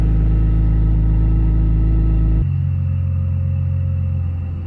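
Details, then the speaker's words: BMW E46 M54B30 on E85 with M56 valve cover, MS43 ECU and retrofitted pencil coils, after replacing the failed ignition coil with a salvage-yard coil: catches and settles into a smooth, steady idle, running on all cylinders, no misfire. "and it settled down into a nice stable idle all right I'm happy with that"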